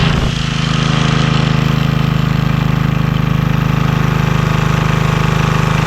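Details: Vintage Homelite generator, probably late 1970s, sat for many years, maybe 30, restarted with little work: even rapid thump with steady low drone at constant speed, no stumbles; normal running.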